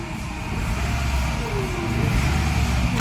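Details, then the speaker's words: A thin moaning tone rises and falls with revs over the engine's low rumble; a bad alternator. "let's actually look for more alternator problems bad alternator sound comeon this is the sound that a bad alternator"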